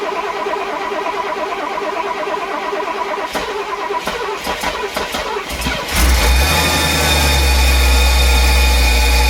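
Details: Mercedes 450SL V8 on its first start after an engine rebuild, run only a few seconds without coolant to check for leaks: about six seconds of even cranking, roughly three turns a second, then it catches and settles into a steady, louder idle.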